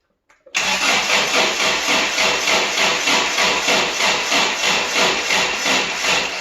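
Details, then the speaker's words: Toyota pickup, automatic, sat 24 years: starter churns about three turns a second without catching, dragging toward the end; slow cranking, owner suspects battery dying, possibly timing; fuel pump not heard running. "you might crank it over harder there but i think we're losing that battery so let's go back let's go back there and see if it's just our timing all right i think our batteries died"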